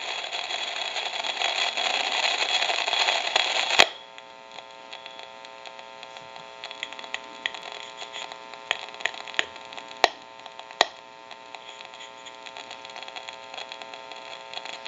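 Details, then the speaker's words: Western Electric 302 rotary desk telephone during initial checkout: the F1 carbon transmitter gives an irregular sizzle with sharp pops that come and go over a faint amplification hum. It is too noisy and is to be replaced. "but you can actually hear the transmitter it's very noisy and it will come and go but it's just a little too much noise"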